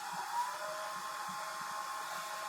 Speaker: When I press stop, the machine will go into automatic cool down mode. And all the fans will kick on high, and then you have a fan on the side that does cool